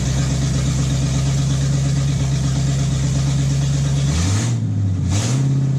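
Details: 1958 Chevy Biscayne after swapping the tired inline six for a V8: deep, steady burble and low rumble, brief dip and pickup as it goes into gear; runs smooth and healthy.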